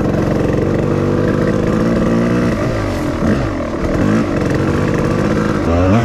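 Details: 1998 Suzuki RMX250 two-stroke that badly overheated, reassembled after cleaning melted aluminum from a pitted, damaged cylinder that was not rebored: revs up and falls back cleanly with a sharp, crisp note and no misfire or rattle; sounds healthy.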